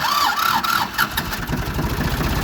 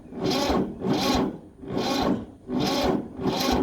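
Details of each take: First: Ford 2600 diesel tractor, first start in years after fuel bleeding and priming: short crank, then it catches and settles into an even idle with no misses or knocks. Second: Ford 2600 diesel tractor, first start in years with injectors loosened for bleeding, on a second battery: slow, labouring crank with a heavy compression push about every 0.8 s; owner blames weak battery or dragging clutch, later found the clutch stuck.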